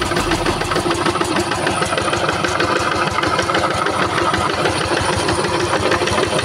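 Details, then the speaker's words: Yanmar TF85 diesel on a tractor in a rice field: heavy, uneven thudding with a grinding edge, abnormally strong knock; opened up, old main bearing found shattered and broken, replaced with a new bearing. "Jadi untuk suaranya di sini saya dengar kuat ya sekali detakannya. Jadi tidak seperti biasanya dan tidak normal."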